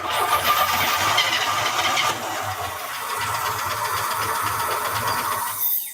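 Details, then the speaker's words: 1949 Studebaker Champion engine first start, fuel sprinkled in: ragged firing catches briefly then fades and stalls; runs only on primed fuel, lacking fuel supply. "keep sprinkling it in that's what i'm trying to do and it keeps stalling"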